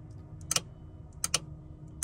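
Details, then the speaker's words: Relay on an Auxbeam AR-800 switch panel in a Ford Transit campervan 12V system, momentary button: three crisp click pairs about 0.75 s apart, pulling in and dropping out cleanly; normal relay operation. "so the momentary you can hear when i hold it down it clicks open and when i close it it clicks shut"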